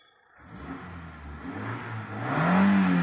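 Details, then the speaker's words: 2006 Hyundai Santro petrol, clean unrepaired engine: starts after a short crank, settles, then revs cleanly with a smooth rising hum, no knocks or rattles; healthy start and rev. "आप स्वयं देखेंगे start करेंगे देखिए half में गाड़ी start हो गई है"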